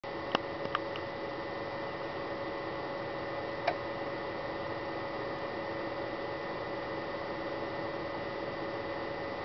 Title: Noisy DVD drive Samsung SH-S203N